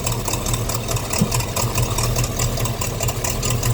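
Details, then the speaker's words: 350 Chevy small-block V8 in a pickup at idle. Uneven puffing tick over a rough idle that sounds like an exhaust manifold leak, but exhaust is blowing past the intake manifold gasket where soot is visible. Fix: replace the intake gaskets. "I don't know how much this is going to come through in the video but it sounds like a leaking exhaust manifold but what it actually is is that area that I was pointing at"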